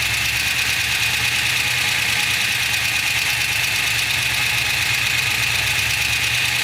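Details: LS2 V8 at idle: a fast, light, steady top-end tick over a smooth idle, keeping pace with engine speed; ticking at idle.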